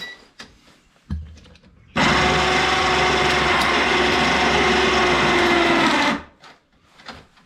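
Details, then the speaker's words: Yard-sale ATV winch, long stored, powered on: loud rough gear whir with thin whine for about four seconds; owner suspects dried-out gearbox grease and plans to re-grease. "And that sounds awful loud, doesn't it? I think I need to take this gear thing apart and re-grease it."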